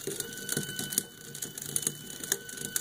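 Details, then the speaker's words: 3D-printed elliptical strain wave gear, about 45:1, with printed ball bearing races turned by hand: dry crunchy grinding with irregular clicks, the plastic races a poor substitute for hard metal ones. "can immediately hear that my 3d printed ball bearing races are a poor substitute for nice hard metal ones"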